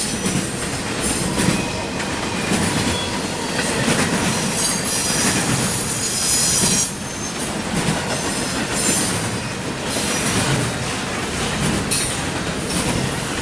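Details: CSX intermodal train passing in Georgia: a high, shrill screeching rises and fades over continuous rolling clatter as the cars pass; wheels squealing on the rail.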